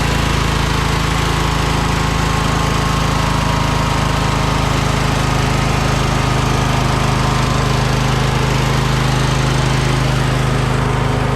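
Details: John Deere lawn tractor after the muffler's holes and seams were flux-core welded: steady, loud, even drone with a low rumble and no puffing or ticking; the engine runs normally with a sealed muffler.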